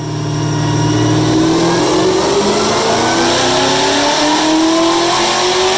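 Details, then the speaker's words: 2016 Cadillac CTS-V supercharged V8, retuned after blown transmission from bad tune, dyno pull on E85 at about 14-15 psi boost making 826 rear-wheel hp; clean full-throttle pull, pitch climbing smoothly, no misses or rattles. Healthy at full load. "she ended up with set or 826 rear-wheel horsepower this is pretty badass for a black V"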